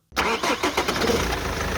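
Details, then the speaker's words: 2003 BMW E46 320d, 2.0-litre M47 diesel, 150 hp factory tuned to about 190 hp, around 600,000 km: starter catches quickly and settles straight into a steady, even diesel clatter at idle; normal healthy start. "it's a 320d model a car that you don't have in States it's a two liter diesel with 150 horsepower from Factory"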